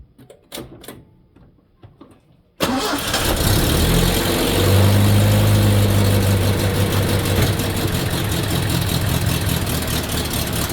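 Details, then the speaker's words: Datsun, cold start around 5 degrees: cranks a couple of seconds, catches and settles into a lumpy, uneven idle that stays rough, running on fewer cylinders; loading up rich from worn carburetor. "this is the problem it has it does not like to start anymore I don't know I think some guy said it sounds like it's loading up which they are 100% correct"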